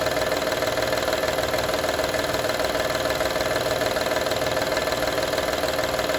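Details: 2012 Honda Odyssey engine at steady idle: fine metallic rattle riding on each beat, about three a second; engine rattle at idle, source not pinned down.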